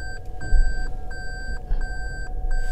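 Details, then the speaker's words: 2021 Toyota Prius Hybrid with 24,000 miles, shifted into reverse: clean high beeps about every 0.7 seconds over a quiet cabin; the normal reverse-gear warning beeper. "Oke, mobil ini bisa dibilang "berisik". Sensor-sensor itu berbunyi setiap kali saya memasukkan gigi mundur."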